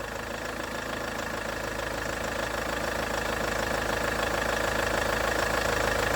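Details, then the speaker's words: Range Rover Evoque after replacing the auxiliary belt idler pulley/tensioner: a smooth, regular idle with no squeal or rattle from the belt drive, and the owner says it sounds better. Normal idle. "That sounds better, doesn't it? God for that."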